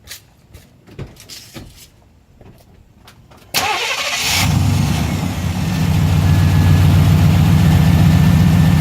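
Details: 1990 Chevrolet K1500 truck, 5.7L 350 V8, automatic: engine cranks and catches, then a steady puffing tick about four times a second rides the idle from an exhaust leak, before repair.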